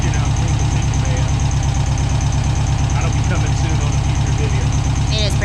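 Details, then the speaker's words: 1971 VW Super Beetle air-cooled engine at idle, running better but with valves not yet adjusted. A steady, even idle thump with faint, brief chirping squeaks now and then. The squeak's source is still unknown. "it sounds like it's running better I still don't know what that little squeak is I need to get in there and adjust the valve still"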